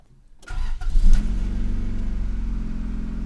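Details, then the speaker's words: 1991 Honda Civic EF project, about 150K miles, full gas tank: quick crank, catches within a second, flares then settles to even, steady idle, no misses; described as scrappy but a normal cold start. "so I'm gonna start this piece for everybody to hear it's pretty scrappy"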